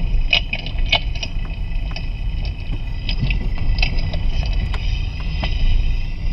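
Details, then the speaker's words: Vehicle driven over bumps, Steelman ChassisEar microphone channel 2 near front brake pads/rotor: sharp irregular knocks over road rumble sounding close to the front noise; front suspension clunk, cause suspected not confirmed. "what we're listening for is we're listening for the sound through here to match up with the sound that we're hearing from the the front of the vehicle and two sounds really close"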